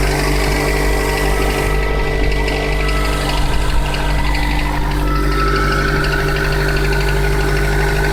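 A loud, steady idle carries thin whistling tones that stay constant, and a higher squeal joins partway through: an unexplained squeal at idle.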